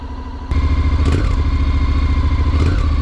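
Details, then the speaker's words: 2021 Honda NC750X DCT on a cold start. It catches and idles, then small throttle blips stumble and stutter instead of picking up cleanly. This is lean fuelling from the fuel injection software, which was recalled and fixed by an ECU update. "so there's not any plane to throttle but when you open the throttle up just a little bit it always seems like it stutters"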